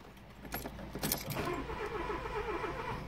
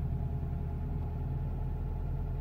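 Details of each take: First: 2002 Renault Clio II crank no-start after a flat battery: two short starter bursts with keys rattling, never catching. The red immobilizer light stays on; the three relays under the relay box tested fine, and the owner suspects a mucky connection there. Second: 2002 Renault Clio II that wouldn't start with immobilizer red light after flat battery, now running after operating wipers and switches: low steady idle rumble, no misses, knocks or hunting; normal idle.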